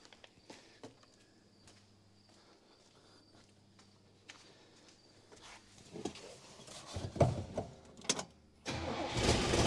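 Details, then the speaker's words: 1966 Buick Special small V8 that sat for years, run on hand-fed fuel with the pump suspected bad: quiet spells, uneven sputtering catches and a brief rough run; carburetor pouring fuel, engine won't stay running. "all right guys we're done with this one today because it is pouring fuel"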